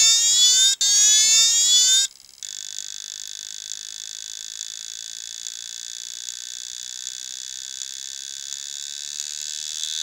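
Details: Old IBM 2.5-inch 720MB laptop hard drive: thin, high, evenly spaced ticks two or three times a second with no spin-up hum; a failed drive clicking.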